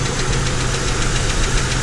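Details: 2007 Chevrolet TrailBlazer, engine shaking at idle: fast regular knocking over a rough idle, present even with belt removed; not idler pulley or belt tensioner, something internal, cause unknown, left for a mechanic.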